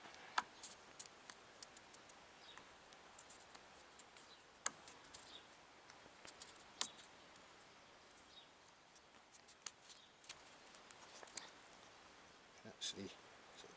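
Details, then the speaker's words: Royal Enfield 550cc UCE Bullet engine, stopped and partly stripped, piston rocked by hand: sharp irregular clacks from lots of side-to-side slop, pointing to excess piston-to-bore clearance (piston slap heard earlier when riding); cause suspected, not confirmed. "um in that some of the noise I heard actually commented on the video after riding it that I thought I could hear a bit of piston slap well a bit was an understatement really"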